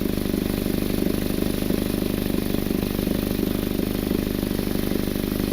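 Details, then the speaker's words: Car at idle, heard from underneath: a sharp, regular puffing tick about three per second from exhaust escaping at a bad flex pipe, with discoloration visible at the leak. "feel they're escaping right over here where this flex pipe is and you can kind of see the discoloration right over here as well everything else to seal this is a common problem where flex pipes go bad"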